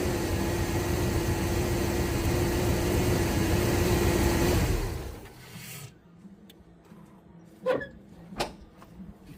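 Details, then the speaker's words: 1999 Chevy 350 5.7L Vortec V8 started right after replacing the distributor cap and rotor; runs steadily about five seconds, then shuts off with a few clicks, no obvious miss or knock; engine running. "Let's go ahead and fire it up and see if she fires up."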